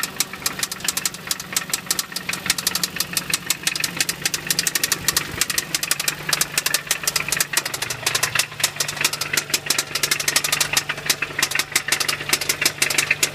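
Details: 1990 Toyota 4Runner 22RE, 223k miles, head replaced 10k miles ago, idling with sharp clicks about three a second; owner suspects a knocking rod plus a valve tick, not confirmed.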